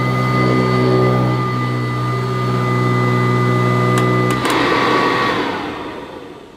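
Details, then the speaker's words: Kirby Classic III vacuum cleaner, old unit at first run after unboxing, strong suction at the head: a strong piercing whistle rides high over the motor roar until switch-off; an abnormal motor whine, cause not yet known. "well it certainly acts like a kirby it's got tremendous suction at the head I could see it lifting up the carpet but it's got an ear piercing tone to the motor which I don't expect from a kirby"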